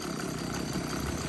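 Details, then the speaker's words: Stihl BG86 two-stroke leaf blower running: harsh metallic chatter and rattle in steady drone, loose bolts behind flywheel striking it. "oh this doesn't sound good at all there's a can you hear that metallic sound coming from the blower i know what it is and we'll um get it into the workshop and i'll show you"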